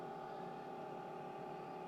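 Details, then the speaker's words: LF Bros diesel heater, previously flooded by freezing winter water, just switched off: fan still spinning with no pump running, soft steady whir like a computer fan, no ticking; normal cooldown run before it reads off. "It's really not much. I wish I had something to tell what the decibels are, but it's quiet. It's just like a computer fan running."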